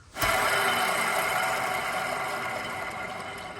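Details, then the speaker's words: RWD Dodge/Chrysler (Magnum, Charger, Challenger, 300) left front wheel bearing hub, hand-spun off car; rough gritty whir fading, no play; moisture entered through poor seal; replace hub assembly: worn wheel bearing. "As you can hear, that's clearly the bad one. There's no play in it or anything, but it's definitely noisy."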